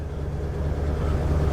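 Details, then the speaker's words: 1950 Ford V8 Pilot flathead V8, cold start 3–4 days after sitting, refitted with original points distributor and carb: first-turn start into a deep, steady burble, smooth and even, idling cleanly and healthy. "wow listen to that cold start first turn of the engine wow I I promise you you this isn't set up that was a cold start"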